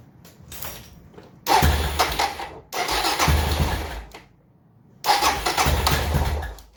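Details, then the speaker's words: Suzuki DR650 single, first start right after fitting a K&N air filter and UNI UP123 secondary breather filter, cold and needing choke: three bursts of cranking and firing, each dying back, before it catches and runs; engine sound slightly different after the install. "You can actually hear a little difference in the engine sound, which is, it's not surprising."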